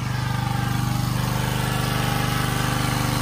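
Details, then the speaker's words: Generac 79cc gas water pump, months after repair (suspected overly strong cam decompression spring), pumping out a basement: steady, even single-cylinder beat at constant speed under load, no misses or surging; normal running. "it's been a few months since I fixed this I fix it on Christmas and now it's April and I'm putting it to work and it's working pretty good"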